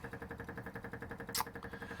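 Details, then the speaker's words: MGB GT on stand, engine off: quick steady ticking, about eight clicks per second, as the electric fuel pump keeps running continuously; owner suspects a petrol leak, source not found. "all right we've got the club on stand so we can see under there a bit better and you can hear the fuel pump going like mad"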